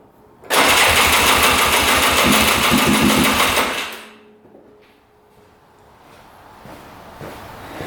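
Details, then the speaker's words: 2002 Polaris Scrambler 400 4x4, stored five years: starter cranks with even compression pulses for three seconds but it won't fire. It had started briefly puffing white smoke and died, and the plug is soaking wet, apparently with water. Coolant entering the cylinder through a blown head gasket is suspected. "so we're going to try to fire it up again and you'll see that it does not"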